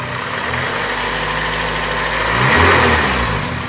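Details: 2004 Acura RSX Type-S petrol engine idling then revving and falling back, dull knock under idle; owner suspects rod knock, unconfirmed, plans thicker oil and eventual engine replacement.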